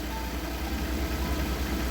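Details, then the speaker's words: Lada Priora petrol engine warm at idle after about five minutes on flushing oil: a steady low hum, the hydraulic lifter tapping heard when cold has stopped. "короче поработал одеты минут пять гидрики перестали стучать [музыка] в принципе нормально работает"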